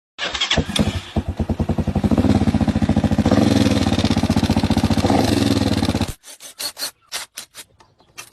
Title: Hi Speed Infinity Cam Gear Sound Problem | Cam Gear ⚙️ Set Changing